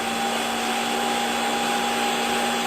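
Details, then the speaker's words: Hottop KN-8828P coffee roaster in final roast segment after first crack, fan at maximum speed: loud steady rushing airflow, constant whine, drum movement audible, no wobble or scraping; normal fan at full speed. "So this is as noisy as the Hottop gets during roasting, and you can still hear the movement of the drum quite clearly over the fan."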